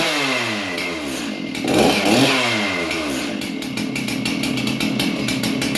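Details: Stihl MS311 chainsaw, bar and chain removed, after replacing the ignition coil that kept it from starting: revs up and drops back, then holds a steady crackling idle without cutting out; fires and runs normally.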